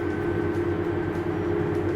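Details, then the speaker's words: Tractor pulling a massive load uphill at about 4.3 mph, engine load 107–108%, around 31 gallons per acre, 7–8% wheel slippage, tested with a STEINBAUER power module: deep, labouring diesel drone with a slow throb as the engine lugs, then it recovers at the hilltop. "you can see already he's starting to struggle to get up this hill and you got about eight percent 7% slippage on it"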